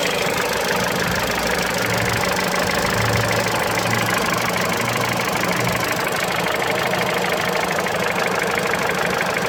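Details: Mitsubishi Lancer X, 4B10 1.8 engine with CVT, cold idle: a loose, uneven tapping of about three per second over the engine hum; knock only at cold idle, cause still unknown.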